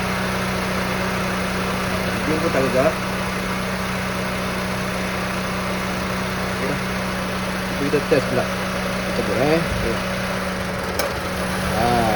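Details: Honda Civic FD 1.8 at idle: steady, even idle with a smooth low hum and no stumble or skip, firing regular throughout; engine running cleanly, normal idle.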